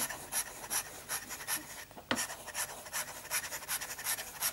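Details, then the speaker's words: Inexpensive fountain pen nib during smoothing, written on paper: rough rasping scratches in quick uneven strokes, about three a second; smoother than before but still scratchy. "It's already smoother, but you can still hear that it's quite scratchy. Now, some nibs just do that. They're just noisier."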